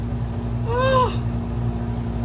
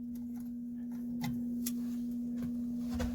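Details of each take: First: RV air conditioner running after repair, fan and compressor on, blowing cold: loud, even low drone with no grinding, rattling or squeal; unit running normally. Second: Camper AC switched on, about 90° inside: single steady mid-pitched electrical hum with no rising whoosh of air; blower motor apparently stalled on a stuck fan, not blowing air, shut off to avoid burning up.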